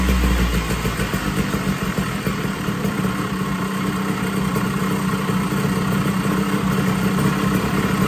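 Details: 1980 Puch Murray moped with Tomos TX50 A35 top end, Mikuni VM18 carb and custom Estoril pipe, timing set near 17 degrees, first start after rebuild: buzzy uneven two-stroke note hunting slightly; runs, idle still needs dialing in.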